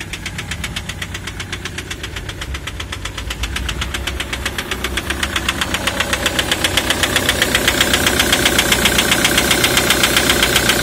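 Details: 2003 Ford Mondeo 3, 2.0 TDCi (FMBA) with Delphi common-rail injectors EJDR00301Z. Sharp metallic ticking over the idle, growing louder and harsher. Injector knock caused by a malfunctioning multiplier (return) valve, part 28538389.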